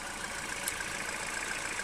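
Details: Citroen/Peugeot 1.6 VTi EP6 engine after P0366 fix (crankshaft sensor disturbed by filings), timing chain changed, valvetronic adaptation done; steady, even idle with constant airy hiss and light valvetrain chatter, no misses or knocks; normal idle.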